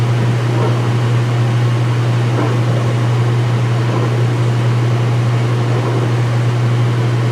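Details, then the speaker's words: Speed Queen washer, front panels off, white bed sheets, high-speed spin drain: steady low hum with faint periodic surges, wattage rising each time the pump takes load; normal pump operation. "Every time the pump makes that sound, the wattage goes up. Yeah, probably because it's getting a little bit more load."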